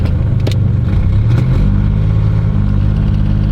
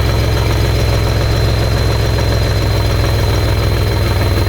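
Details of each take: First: 1992 GMC Sonoma V6 with OBD1, about 200,000 miles, after a repair: low, steady note climbing evenly through the rev with light background clatter, no longer shaking or jerking and no longer needing heavy revs to move. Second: 1992 GMC Sonoma (OBD1), MAP sensor vacuum supply line broken and showing no vacuum; low steady idle drone with a slightly uneven beat: rough idle as MAP sensor sees no vacuum.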